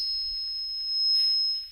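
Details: Live sound system through a Luxury 6 analog mixer: steady, piercing high ring around 5 kHz, feedback howl from the mic picking up the speakers, found by sweeping the mid frequency and then cut.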